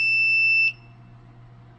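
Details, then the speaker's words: Apartment fire alarm panel showing power trouble: one sharp, high trouble beep; suspected weak backup batteries, to be replaced. "All right, here at this fire alarm panel, we're getting these little troubleshoots signals. Let's look at it one more time or wait for it. So, I think I'm going to replace the batteries."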